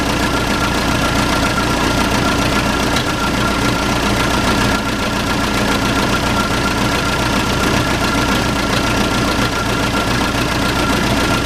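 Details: Case 580C backhoe diesel, sat 10 years, started with ether and no coolant: loud, steady idle with even clatter, no misfire or heavy knock; idling normally, sounds pretty good.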